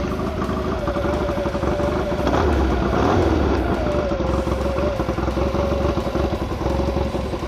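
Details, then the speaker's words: 1956 Triumph Desert Racer dirt bike with rebuilt late 1972 Triumph 650 twin head (new valves and guides) after repeated pushrod failures; started first kick, oil pumping. Even steady idle, light quiet valve patter, no clatter or knock; quietest it has ever run. "Tell you what, this bike has never run this quiet."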